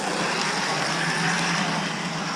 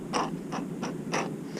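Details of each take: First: 1989 Lionel GG1 8303 Amtrak locomotive (6-18303, new old stock), after cleaning old grease and re-lubricating, running forward and reverse as voltage is raised: steady, even whir with a light regular patter, no binding. Current draw dropped from 3 A to about 2.7 A; normal running. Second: 1989 Lionel GG1 8303 Amtrak locomotive (6-18303, apparently new old stock), motor truck pushed by hand before service: short gritty rasps in uneven bursts. Old lubricant has gone bad and dried out, so the gears bind and drag; cleaning and re-greasing is planned.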